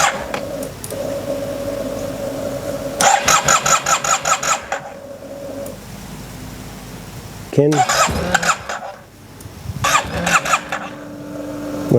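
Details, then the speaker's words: TMAX scooter, ignition reinstalled, holding brake: repeated bursts of fast starter cranking with brief firing kicks but no run; crank no start, owner suspects no fuel, with a very dirty filter found. "I don't think it's getting fuel so along with the air filter there's this filter that's super dirty"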